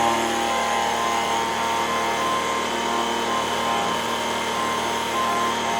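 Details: Echo ES-210 two-stroke leaf blower, 15–20 years old, repaired after RPM fluctuation from full to near-dying: high, steady buzz at full throttle with no rise and fall. Tach reads 7,100 RPM, within the 7,000–9,000 spec. Normal run.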